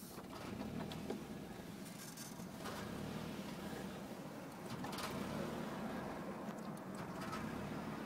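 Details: 1992 Nissan 240SX petrol engine idles unevenly, its speed surging and sagging instead of holding steady: a rough bouncing idle.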